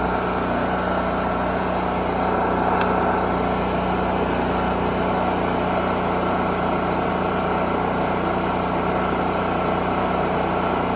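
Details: Generator rated 3500 running watts, first run after storage, started on choke: steady, even small-engine drone, no hunting, surging or misses; runs smoothly at constant speed, oil change still due.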